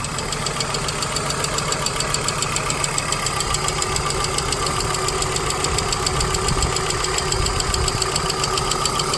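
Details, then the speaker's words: 1997 Volvo 850 the next morning after a quick short run: steady light ticking, several taps a second, over a smooth idle. The owner thinks it is not injector noise but the slap of a hydraulic lifter piston; the tapping ceases once driven hard and there is no oil pressure light. "the injectors I mean that's not injector doing it doesn't sound like injector noise to me that that to me it sounds like the slap of a little hydraulic piston in there"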